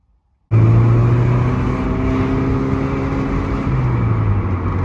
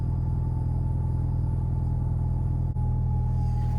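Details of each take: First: Alfa GTV in very hot weather, caught with laptop logging before repair: engine under load runs rough and uneven, misfiring badly, then dies; lean misfire from fuel starvation at the pump. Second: Alfa GTV first start after rebuilt fuel pump assembly: steady low rumbling idle, even beat, no misses or knocks; started well, running cleanly.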